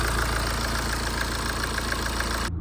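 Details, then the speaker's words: BMW 1 Series 118d diesel after belts, pulleys and water pump replaced with a used pump: steady idle with even light injector tick, no knock or rattle; earlier noise gone. "End up changing the water pump over to another one I had in my shed. So it's not a new one. As you can see, the noise is gone. So happy days."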